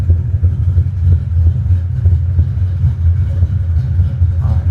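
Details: High-compression, big-cam engine with a manual transmission, just started, timing bouncing 32–35°: deep uneven loping idle with a choppy rumble rising and falling about three times a second; normal big-cam idle.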